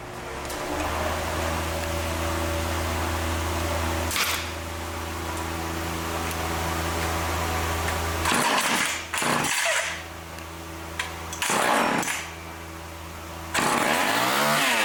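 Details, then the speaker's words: Vintage Craftsman Power Sharp chainsaw with Tillotson HU carburetor after cleaning: held wide open with steady buzz, then throttle blips; running slightly rich on high, high-speed needle needs leaning. "now it sounds like it's running a little rich on high so now I got to close the high speed up a little more"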